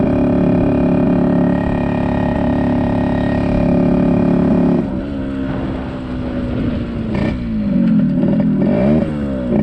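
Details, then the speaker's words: 1974 Yamaha RD60 two-stroke, first run in over 8 years: pulls up through revs then bogs and wavers, only reaching about 5000 rpm instead of 10-11,000; lacking power at high revs, carburetor issue suspected. "so it doesn't sound like sounds like carburetor issue the power band isn't fully there i mean it's only grown up to about 5000 rpms which these ones should hit 10 11 000"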